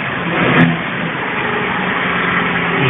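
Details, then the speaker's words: Citroën C3 running in neutral after replacing the accessory belt and its rollers: steady, even engine hum, the earlier electric-motor-like whine is gone; belt drive sounds normal. "Y como podéis comprobar, ya no suena el chirrido ese. Ya suena normal."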